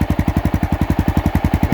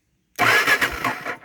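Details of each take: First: 2002 Honda XR650L, just under 3,000 miles, built into a light adventure bike, idling in neutral: even, deep single-cylinder thumping at about eight beats a second, no misses or rattles, clean idle. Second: Honda XR650L in neutral: about a second of starter cranking that never fires because the ignition switch was left off.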